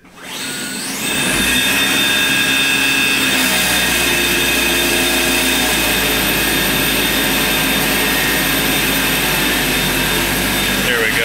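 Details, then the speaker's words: Murray gas riding mower converted to electric (ME-1004 motor, 48V Chevy/GM Volt lithium pack), driven in the garage at throttle setting 36: steady high whine, hiss and hum from the hydrostatic drive/transmission, smooth with no knocking or grinding; normal. "I like to run it at 36. it seems to be a good lawnmower speed anything higher just sounds like it wants to kill you"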